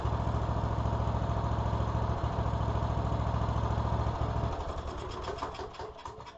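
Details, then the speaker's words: 2014 Troy-Bilt Bronco 13WX78KS011, Kohler 17 HP Command, after a new carburetor replaced one with a failed fuel shut-off solenoid and the throttle cable was adjusted: steady, even engine beat, no misses or surging, before winding down; normal running. "This mower sounds really good. Kohler 17 command."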